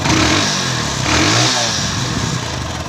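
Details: Hero Honda CD100 single-cylinder after valve clearance adjustment: revs up and settles back smoothly with even beat and no top-end ticking; healthy.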